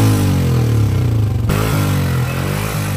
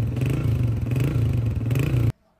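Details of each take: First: 2011 Honda CG 125 motorcycle engine revving: single-cylinder thump with loose top-end clatter on each beat, worn push rod valve train noise; also smoking; top overhaul planned. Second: 2011 Honda CG 125 after top overhaul for engine noise and smoke, oil pump checked and silencer washed; steady low single-cylinder thump at idle with no loud tapping or knock, normal idle.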